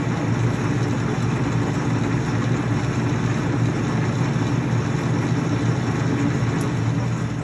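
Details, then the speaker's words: LeBlond Regal 13" x 30" engine lathe, headstock in mid-range at 179 RPM: even, steady gear whir with a low rumble and no knocks or rattles. Normal, healthy gear mesh, not a ticking. "you can hear the headstock it's not a ticking it's more of a mesh as you can hear it in rotation"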